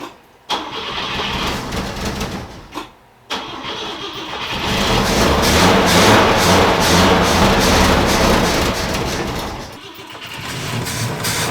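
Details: Volvo 164 B30 engine, first start attempt since 1994 after a cleaning and oil change; oil pressure present, fuel leak noted, cylinder two plug found loose. Repeated starter bursts, then a longer crank struggling to catch.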